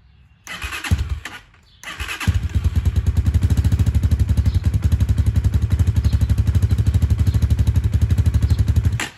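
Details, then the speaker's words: 2019 Hawk 250 motorcycle, 5,862 miles, 110 main jet, cold start kept at low rpm: catches and dies, then restarts into an uneven low thump about four beats a second. Cold stalling, with no oil smoke at low revs. "can tell it's cold because it keeps shutting off not wanting to run"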